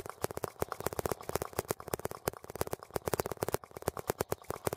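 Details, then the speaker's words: Spark plug on an R18 model engine running with its new replacement ignition: sharp dry snaps about nine per second in uneven bursts, as the spark arcs around the outside of the insulator instead of igniting. "oh yeah I can hear it arcing around the outside kind of see it again"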